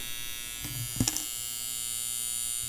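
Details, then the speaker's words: Copal model 701 flip clock bought non-working, alarm sounding once the cutout drops, thought to run about 10 seconds and repeat three or four times: steady, even electric buzz with a couple of small clicks. Normal alarm buzz. "now what happens is I think it goes off for about 10 seconds and it stops now that's going to go around here's the cutout that'll go around again and it'll go off for another 10 seconds and I think it does that three or four times so it's it's a little less annoying"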